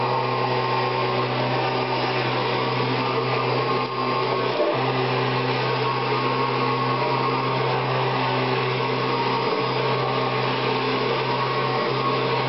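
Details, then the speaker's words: Kirby Generation 4 80th Anniversary Edition vacuum making a steady high motor whine with a coarse roaring edge, also noisy at switch-on and switch-off; owner was told the motor is about to quit, cause unconfirmed; still runs, though weaker than before. "yeah that loud noise you hearing the things making has something to do with the mot i believe i was told the thing is about to quit so"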